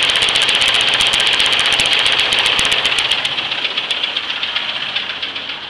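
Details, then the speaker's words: 1978 Chevy Nova with the 250 straight-six, warm idle after a restart two hours later: a sharp, even tick-knock about four times a second; source unidentified, and the owner hopes it's top end. "My biggest concern is the knocking in the engine though."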